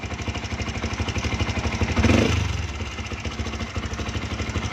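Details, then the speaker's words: 2013 Yamaha Vixion, also smoking: single-cylinder idle with a loose, rattly top-end clatter like a helicopter or drum band, rising with a throttle blip. Worn rocker arms, both damaged, need replacing. "ini ada kayak helikopter nih masa suara Vixion gini Suaranya kayak ada yang lagi main musik kayak ada yang main drumband nih"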